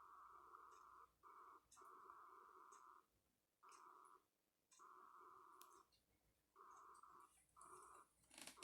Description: Keurig makes odd sound after brewing and even does it after being unplugged.